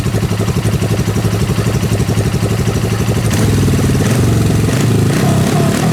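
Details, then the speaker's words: Suzuki GS500 dune buggy engine after a hole was plugged. Strong, even exhaust pulses that rev up smoothly, and it ran ten minutes without dying: normal running. "so yeah I think it fixed it I'm not entirely sure I still need to do I need to write it up the road a little bit but it seemed to be running really strong and didn't die"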